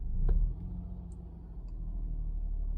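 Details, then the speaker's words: Honda Pilot 3.5 V6 with code P3400 and a check emission system warning, barely able to exceed a few mph: deep, irregular chugging misfire when throttle is blipped, suspected running on three cylinders; owner suspects oil pressure sensors, dirty or low oil. "maybe you can maybe you can hear it how bad it's running chugging really bad get the gas"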